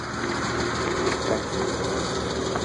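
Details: BMW E36 M3 idling steadily with a faint, light lifter tick riding over the valvetrain hum.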